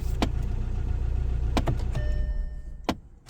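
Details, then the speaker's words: Audi A4 B8 diesel idling after an ignition switch replacement: brief thin electric whirring between clicks, which the code reader attributes to the heater blend door motor. It is a blend door actuator noise, left for a later fix. "So this noise is the blend motor according to the code reader, so that's good."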